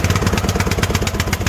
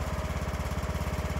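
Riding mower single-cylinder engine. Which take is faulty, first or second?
first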